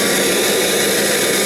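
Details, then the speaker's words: Kirby Legend vacuum with no belt lifter fitted: steady airy roar with a faint thin whistle on top. This is an air leak caused by the missing belt lifter. "here's the legend - you might hear a little bit of an air um leakage cuz there's no belt lifter on it"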